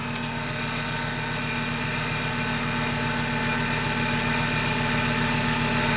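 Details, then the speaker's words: VW Mk6 Jetta 2.5L after fresh engine swap with 02Q 6-speed: smooth idle with a thin high chirp; a belt or pulley is squeaking, probably the idler pulley, not yet confirmed. "There's definitely a belt or a pulley squeaking in there somewhere."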